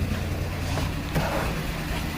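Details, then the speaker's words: Chevy Impala petrol engine at idle, rough and lumpy with a stumbling beat: cylinders three or three and five misfiring from a mechanical problem in number three, confirmed by unsteady intake vacuum below the expected steady 20. "Uh three or three and five is misfiring. He's got a mechanical problem in number three."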